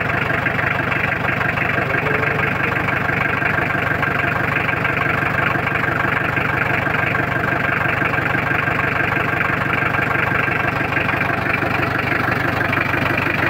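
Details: Mitsubishi L300 diesel after clutch, clutch cable, clutch master and tie rod end replacement, started after glow-plug heating: steady, even diesel clatter at idle, regular beat, no belt squeal or misses; engine idling normally.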